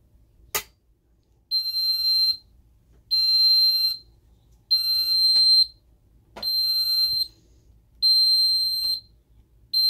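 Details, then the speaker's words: Ademco 6137R alarm keypad, carbon monoxide zone 04 in alarm: shrill high beeps about one second long repeating every one and a half seconds, intermittent CO alarm pattern; display shows only alarm, no CO indicator. "Again, it doesn't have a little CO display, so it doesn't show anything except for alarm and doing the intermittent beeping."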